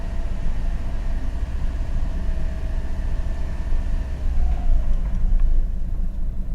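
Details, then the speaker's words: 2000 VW Beetle, intermittent stalling, code P0322: low idle rumble sags and fades as engine stalls and scan tool loses communication; crankshaft position sensor (G28) signal lost. "just stalled out on it VCS lost communication going to crank it now"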